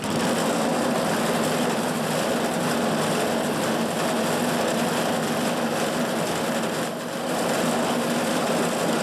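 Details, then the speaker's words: California Trimmer mower, small single-cylinder engine, after the carburetor was fine-tuned an eighth to a quarter turn to stop surging and the fuel pickup tube hole was cleaned; steady, even idle with no hunting or surging. "As you can hear, it's idling pretty good now. I fine-tuned the carburetor. I had to go in basically an eighth to a quarter turn and find that perfect sweet spot so it would stop surging."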